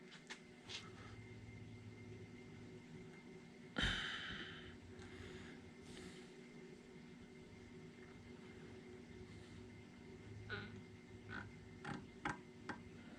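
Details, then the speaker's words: Rolls-Royce Phantom III rear shock absorber held in a vise, being filled with oil and arm pumped: sharp hissing gush, then faint sputters and ticks; trapped air still purging during bleeding. "you can still hear the air purging out of it"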